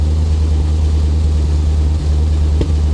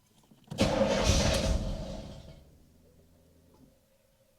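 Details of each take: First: 1985 Chevy C4 Corvette V8 after engine work, with carb cleaner and WD-40 dumped in: deep, steady idle with an even beat and no stumble, running smoothly on all eight cylinders. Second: 1985 Chevrolet Corvette C4 V8, flood-damaged car, first start after engine work: long cranking, then it catches and stumbles unevenly without settling; sounds like timing is off though timing wasn't adjusted; hard start, rough running.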